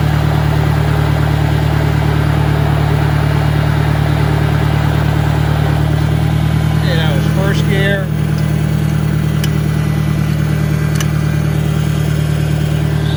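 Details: 1965 John Deere 1010 with suspect maintenance, Stanley muffler, about 1000 rpm in first gear: a steady low drone with a constant hum; the transmission is noisier than the 1963's, cause unconfirmed.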